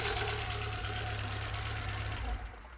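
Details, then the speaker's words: 1993 Citroen ZX Avantage 1.4i TU3, timing belt new 900 miles ago: on revving a rough rhythmic whirring rasp fading as revs drop; owner suspects timing belt fitted too tight. "I think what's happened is whoever's done the timing belt, they've done it a little bit too tight. So when you give it a little rev, yeah, that noise?"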